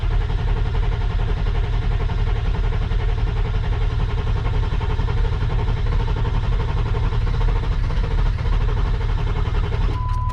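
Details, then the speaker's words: Ford 7.3 Powerstroke diesel after turbo rebuild, new injectors, glow plugs and wiring, first start attempt: steady laboured cranking with ether sprayed into the intake, nearly catching but not running; fuel primed, fuel supply not suspected. Cranks but no start. "Dang, that is so close. You can hear when the ether hit it."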